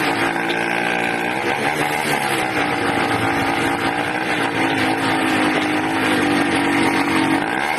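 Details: 80cc two-stroke engine, loud and buzzy, revs hunting up and down unevenly with no steady note; erratic running, owner suspects a carburetor problem with an air leak at the intake manifold, not confirmed.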